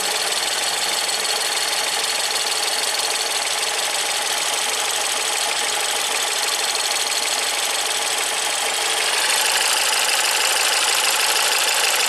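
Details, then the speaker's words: Ford EcoBoost van with intermittent P0106, fuel pressure testing with high-pressure fuel pump solenoid commanded and unplugged: sharp metallic ticking about three per second over steady idle, then quiets; owner suspects high-pressure pump. Unconfirmed. "why does it click and then stop clicking they kind of quieted down a little"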